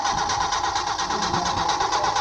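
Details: Engine crank-no-start during a troubleshooting lesson: fast, even starter cranking with a steady whirr and no firing at all; the engine spins freely with compression present but gets no fuel from an inoperative fuel pump.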